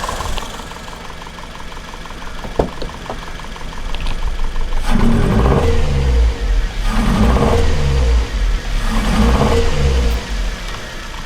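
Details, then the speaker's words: Maruti Ertiga 1473cc engine with two cylinders' plug couplers removed in a check: three throttle blips from a rough, lumpy idle, sounding like a two-cylinder engine, with heavy vibration and lost power. "അതായത് Tata ice എന്ന് പറയുന്നത് 2 cylinder എഞ്ചിനാണ്, സാധാ ice കേട്ടോ. അപ്പോൾ ആ ഒരു വിട്ടുള്ള RPM ആണ് വരുന്നത് കേട്ടോ."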